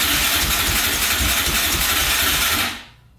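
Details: 2004 Yamaha Raptor 660 quad, rough condition, fresh oil, gas poured down the carburetor, choke pulled by hand: starter whirs under three seconds with no firing; fuel-starved crank no start from a clogged pilot jet.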